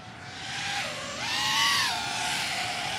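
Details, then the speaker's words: Diatone GT-R349 3-inch micro racer with 1408 4000KV motors, after PID and anti-gravity gain tuning on a higher-cell battery: a high whirring tone that wavers and bends in pitch as the motors hunt. Oscillation remains; the owner suspects it needs a reflash and says 3S was smooth. "I don't like that sound it doesn't sound smooth on the 3s it sounded okay I mean it sounded smooth"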